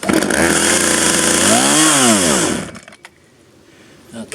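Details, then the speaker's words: Cold start of a 23-year-old 1997 Poulan 2150 chainsaw: saw revs high, then the pitch sags and recovers unevenly before dying. It stumbles because the choke was pushed in too soon. "i put the choke in too quick"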